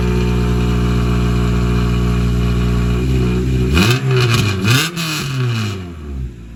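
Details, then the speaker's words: Honda Civic Si with K20Z1 swap, K-Tuned intake, new fuel line at about 50 psi, J-Cab exhaust: steady idle sweeping smoothly up and down through quick blips, no knocks or misses; healthy. "So the exhaust. That J-Cab exhaust. Rev it up a little."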